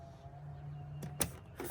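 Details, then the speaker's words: 2021 Harris Solstice 250 tritoon with 300HP Mercury 4-stroke outboard, dash function test: faint steady low hum of the bilge pump kicking in, then a switch click; normal bilge pump operation. "Here's your bilge pump. See if you can hear it kick in."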